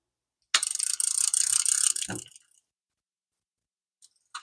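A fast, bright ratchet buzz as line pulls off a fishing reel, its drag clicker working normally.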